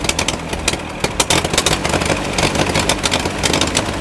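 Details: Massey Ferguson 135 tractor, Continental 2.4L gasoline four-cylinder, after carburetor refit and fuel drain: engine stumbles in uneven bursts, speed surging and sagging, sounding fuel-starved with the governor compensating; cause not yet found.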